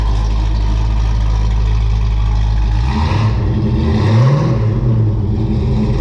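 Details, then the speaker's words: 1978 Pontiac Trans Am V8, cold-blooded, old mufflers bought 2018 before new Pypes mufflers: deep throaty idle burble swelling into booming rev, heavy low rumble; exhaust drone unbearable in cabin with T-tops in and windows up. "it sounds really good but except for that drone that drone just drives me nuts so uh hopefully we're going to eliminate that with these new Mufflers"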